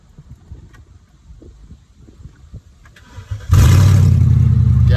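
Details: 2002 BMW 745i V8, flood-damaged electrics, after battery cable fix, catalytic converters removed making it loud: quiet clicks, then catches at once into a loud, even, deep idle; normal start.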